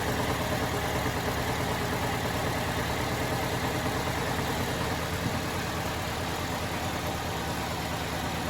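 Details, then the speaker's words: 2010 Chevrolet Malibu, 106,000 miles, first start on the lift: steady idle with a faintly lumpy pulse about two beats a second, already smoothing out; slightly uneven idle. "It's fired right up though. That's good news. Yeah. That's what I'm talking about."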